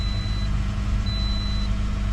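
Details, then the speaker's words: 2012 Toyota Corolla S, previously misfiring with code P0301 on cylinder 1, after replacing all four ignition coils and spark plugs: low, even idle with steady firing and no stumbles, a faint high beep over it; runs perfectly fine. "Beautiful. Nice. That was perfectly fine."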